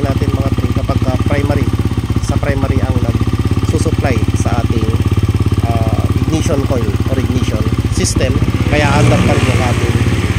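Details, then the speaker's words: Honda TMX 125 converted to battery-operated CDI, previously wouldn't start due to flat battery; now charging at 14.8 V: even single-cylinder thump, picks up cleanly when revved; engine running healthy. "So i-try natin siyang i-accelerate. Okay. So ayan na good na siya."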